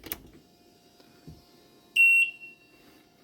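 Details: Evinrude 150 Ficht outboard after replacing a burned fuse that had caused no power, no beep and no trim: one sharp high-pitched beep about a quarter second at key-on; the warning horn self-test works normally.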